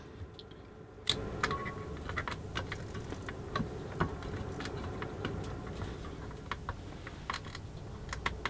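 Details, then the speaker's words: Eaton AFDD test, fan heater load: irregular sharp crackles and snaps over steady fan hum from series arcing at switch contacts; the device finally tripped after much arcing. "well it's finally tripped after not insignificant amount of effort there so would you may have heard there's quite a bit of arcing going on there"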